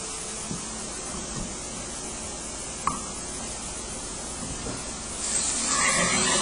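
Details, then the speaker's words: Home inspection functional flow test, with the sink and then ground-floor bathroom faucets opened. A steady soft hiss of flowing water swells as more taps open, with no sputter or banging; supply holds without undue pressure drop, normal water flow. "okay it's all working well we have supply of water so we can turn all these things off"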